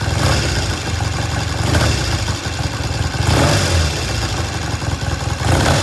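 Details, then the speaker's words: 1973 Triumph T100 twin after restoration: engine blips up and back down about every 1.5 s, picking up cleanly with no misses or knocks; starts, runs, road-tested well, healthy running (separate oil leak from cases). "okay we finish this bike up before I went on vacation uh as much as we can it starts runs sounds good"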